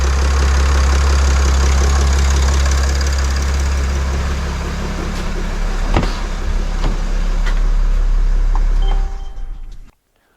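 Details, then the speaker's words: 2019 Mercedes Sprinter 3.0 diesel after EGR valve replacement: smooth, even idle with a low steady hum, no ticking or hissing, no leak at the valve, then shut off; running healthy. "So the engine is running, everything is quiet, everything sounds good."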